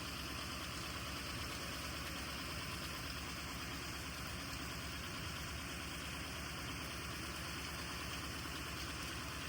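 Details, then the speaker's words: 1948 Cadillac's first start in 21 years after the starter came back from the shop and the cylinders were oiled: low, steady, even idle with no misses or knocks; an earlier noise, possibly the generator, stopped. Runs like a champ. "She just wants to run. She's sat for too many years. She runs like a champ."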